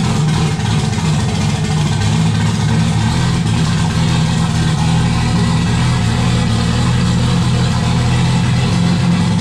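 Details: Turbo Jeep on Megasquirt MS3X with 80 lb EV1 injectors, start after cam sensor and base timing reset: low rough rumble that wanders and needs throttle to keep running; owners suspect not enough air, possibly the old idle air control.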